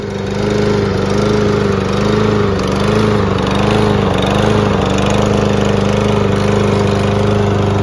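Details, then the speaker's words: Troy-Bilt TB110 push lawnmower with carburetor just cleaned, running on old stale gas: starts fine but runs rough, hunting and surging about once a second, uneven and lumpy; owner blames the bad gas and plans to burn it off and refill with fresh fuel. "still has ass gas in it and it starts up fine and it runs kind of rough but uh like I said it's the ass gas I'll burn that out and fill it up with some more better fuel"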